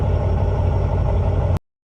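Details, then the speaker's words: Truck (12 V) with cold-weather hard starting, first start after replacing all batteries: quick start, then a steady, even low idle with no misses, knocks or rattles; engine starts and idles cleanly. "so after installing the battery so this is the first start let's see how it's start wow that's amazing you see it's very quick"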